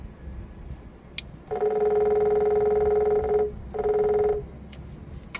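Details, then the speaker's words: Case STX375 articulated tractor: the electric fuel lift pump runs with a steady buzzing hum, then a brief second run, when fed directly by a power probe. Its connector terminal was missing. The pump itself works normally. "but that is a lift pump"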